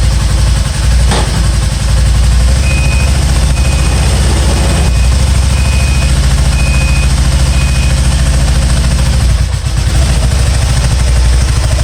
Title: spyder misfiring